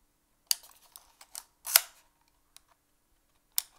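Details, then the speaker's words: Fuji GW690 III medium-format leaf-shutter camera, back open, held close to the mic while firing: sharp clicks and an odd metallic ping like a spring recoil inside. The owner suspects it is related to the frame counter but is unsure. "can you hear that sort of ping it's a pinging sound I'll put it close to the mic so it makes this kind of spring recoil sound going on inside"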